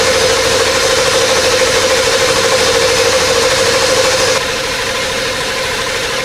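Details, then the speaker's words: OBS 7.3L Powerstroke starts after a new Full Force Diesel stage 2 HPOP install, with fuel and oil drained, and settles into an even idle clatter with no misses or knocks. Sounds healthy; check engine light on, suspected low ICP. "oh my God it sounds really good check engine lights on start it up again here"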